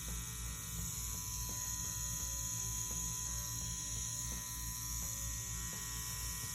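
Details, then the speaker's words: Ambition Ninja wireless rotary tattoo machine with a CNC standard 3-round liner on the RCA input at 7.5 volts: even, steady buzz with a fine fast tick, no stutter or speed change; running very nicely and consistently. "Very nice, very consistent."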